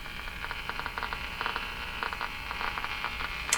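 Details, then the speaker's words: Bendix Model 110 AM vacuum tube radio tuned near 1430 before alignment; constant mains hum under crackling static and irregular pops, no station received; cause not yet found. "a lot of noise coming from that too let's see if we can get the station at all"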